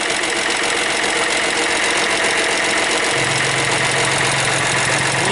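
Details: Hyundai Matrix 1.5 CRDI diesel right after the hydraulic lifters were replaced, idling. Quick, light metallic ticking over a steady idle: hydraulic lifter tapping while the lifters fill with oil.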